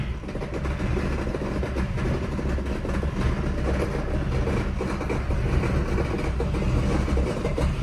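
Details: 1976 Mercedes W115 with alloy-block M117 V8 and 722.350 four-speed automatic, before manual swap: heavy low engine rumble with irregular clattering knock about once a second, sounds terrible; loose torque converter bolts at the flexplate.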